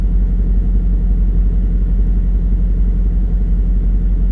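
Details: VW Touareg 4.2 V8 after a hard off-road day in snow and ice, smoking underneath with oil pressure and coolant warnings: deep rumble at idle with a loose irregular rattle; something burst through the block, coolant lost and dripping out.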